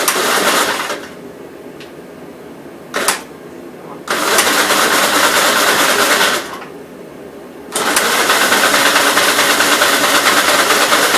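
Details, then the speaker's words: 1957 SR Gravely single-cylinder after top-end rebuild with 15-over rings, refueled: loud even running bursts with quieter stretches, no knocks. Idles decently and no longer smokes heavily as before the rebuild; normal idle. "so it's pretty good it idle's pretty decent and everything it's not smoking"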